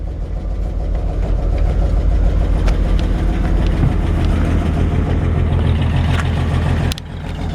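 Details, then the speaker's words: 1953 Chevrolet 5-window pickup, 12-volt conversion, floor-pedal start: steady idle with fast, uneven puffing tick on the exhaust note; blown donut gasket where the pipe meets the exhaust manifold, air felt escaping; fix may be tightening, usually replacing the donut. "So yeah, where the exhaust attaches to the exhaust manifold with the pipe, the donut there is blown out. That's not uncommon."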